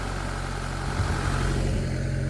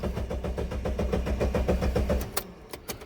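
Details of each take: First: 1999 Mitsubishi Pajero iO (Pinin) 4x4, which the owner thinks has a Lancer-type engine, at steady, even, low idle with no misses, knocks or surging, after the high-pressure fuel pump repair fixed a crank-no-start with no fuel; normal idle. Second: 1999 Mitsubishi Pajero iO/Pinin, fuel pump not heard priming: steady starter churn at about four compressions a second for two seconds, never catches, then stops; no fuel getting through, high-pressure fuel pump failed.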